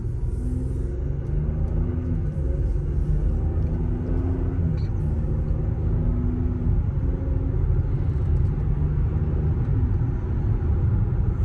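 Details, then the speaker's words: Before sound: Cooper Endurance Plus tires loud since rotation, steady highway speed around 55 mph; deep constant droning roar with no engine note rising over it; owner suspects tires, possibly wheel bearings, before swapping them. "So I'm trying to get a before sound. I don't know if it's gonna pick up on the camera or not, just how loud these are,"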